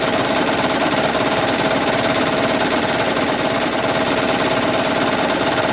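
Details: 2010 Toyota Prius idling with AC on: fast fairly even knocking, a bit over two per second, over steady idle, starting and stopping with HV battery charging; also occurs at 7-30 mph under load, cause not confirmed.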